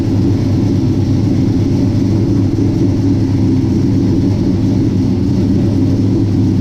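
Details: 1967 Chevy C10 V8 with new Holley Sniper fuel injection, first start after transmission filter and pan gasket change, off jack stands: starts well, steady deep even rumble, no knocks or misses, runs healthy; transmission fluid still low.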